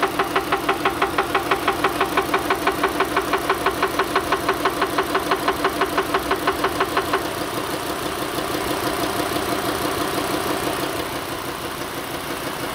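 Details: Engine at idle with a steady, sharp, very even ticking of about three per second over it, softening after several seconds; regular knock, cause unknown.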